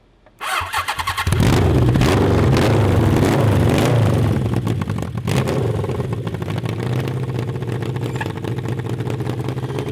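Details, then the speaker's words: CB750 750cc engine in a cross kart, warmed up, with drilled emulsion tubes and jets on stock carburetors; revs hard then breaks up raggedly under high throttle above 7,000 rpm instead of pulling clean; the change made it worse. "remember it was running bad it had to warm up [Music] [Music] crap we made it worse we made it worse"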